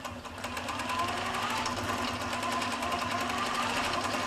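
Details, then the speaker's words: Gammill quilting machine with IntelliStitch Turbo cl stitch regulator in regulated mode at 10 stitches per inch: even, steady rapid needle clatter, no knocks or catches; stitch length stays constant whether moved slowly or fast. "and i can move very slowly or i can move faster and i will still get the 10 stitches per inch"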